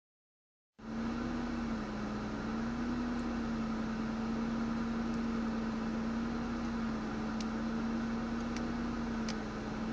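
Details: Ford Mondeo ST220 at idle: a steady hum with an uneven, wavering pulse that never settles into a smooth beat; a rough idle.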